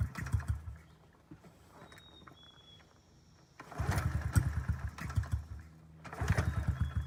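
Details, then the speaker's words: 2009 Honda CRF50F pit bike, not started in 2 years, kickstarted repeatedly with short sputtering bursts that die; flooded from leaving the choke on too long, took 6.5 minutes to start. "So, my mistaken error, I left the choke on too long. That's why it was taking me 6.5 minutes just to kickstart that bike."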